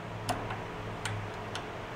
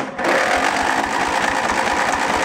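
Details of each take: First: Junk riding mower engine powered by a jumper pack: a quiet background with a few sharp clicks as power comes on, the fuel shutoff solenoid clicking in normally. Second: Junk lawn tractor engine cranked by jumper pack on choke: it catches and runs rough and fast for about four seconds, dies, catches again briefly, then quits; fuel starvation or lost spark is suspected.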